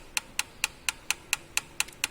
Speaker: so if the engine is running and you happen to hear this kind of tapping noise which is loud it could be a result of improper valve clearance adjustment or anything problem on the valve tray it could sound something like this